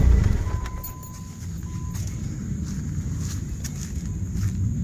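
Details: 1991 Dodge Spirit ES 2.5 turbo 5-speed running again after a long no-start, traced to a failed Viper fuel pump. Low, steady idle rumble with no misses or knocks: normal idle.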